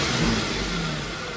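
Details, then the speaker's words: Audi SQ5 3.0 L supercharged V6 after timing chain job (new chains, tensioners, guides, engine mounts, resealed covers), previously P0018 code and limp mode; smooth even idle easing down from a blip, no rattle or tick. Healthy again. "I could tell this car idling right now with it me the timing actually working. It actually sounds like a 3 L supercharged engine again."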